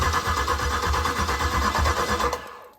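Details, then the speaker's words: Freshly rebuilt Volvo Penta 5.7 V8 marine engine, cranked on the starter with master and fuel pump relays pulled and water on, before first start: even, steady cranking with strong, uniform compression pulses, turning over freely. "The camera work may be pretty crappy, but you'll hear it, and it just sounds like it's got compression."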